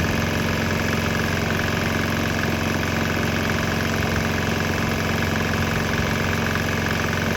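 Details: Swan X 165F Chinese single-cylinder diesel running on straight used canola (fryer) oil; steady, even chug about three firings a second, no misses or knocks; clean, normal running.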